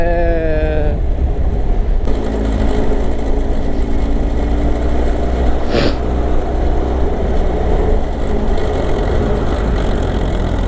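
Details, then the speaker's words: Kawasaki ZR7S four-cylinder, about 60,000 km, stock, idling at the shop; loud, busy rattle over an even low rumble, unchanged, likely top end; auto cam chain tensioner fault suspected but unconfirmed. "おはようございます。まあ相変わらずやかましい音が治らなくて、何しか乗んなかったらね、なんか消えてってくれる。"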